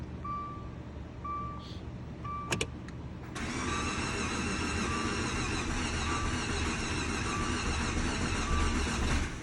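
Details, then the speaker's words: 2013 Dodge Dart with freshly installed used replacement engine, first start attempts: starter cranking with rising, more even chuffing as compression builds; close to catching. "so it's sounding it's starting to build compression now it's actually building up compression so i actually think it's gonna start"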